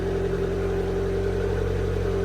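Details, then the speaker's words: Abarth Fiat 500 petrol engine just after oil, filter and air filter service and battery reconnection, cold start idle: steady, even idle with faint whir at slightly raised cold speed, expected to settle; normal. "it will start to slow down in a few minutes the the tick over but everything's fine"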